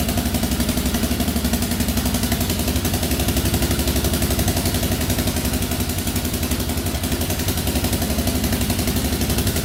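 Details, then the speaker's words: 2004 Yamaha Raptor 660 quad, rough and had been sitting, restarts instantly: quick even thumping idle about four beats a second, steady pace, no misses or clatter; sounds pretty good. "We got this thing running today, and it actually sounds pretty good for 1,100 bucks."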